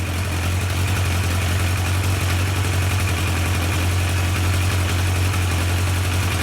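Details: Yamaha 1200 FJ four-cylinder during carburettor synchronisation: steady, even low hum at idle with no hunting or misses. The cylinders sound balanced and the vacuum readings come out equal, so the sync is done.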